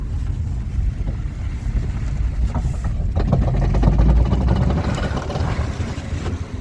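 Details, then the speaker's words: Mitsubishi Outlander XL 2.4: low engine and road rumble, then rapid irregular crunching clicks when turning the wheel; water got into the outer CV joints, both left and right now worn, to be replaced. "с двух сторон хрустят шрусы придётся менять"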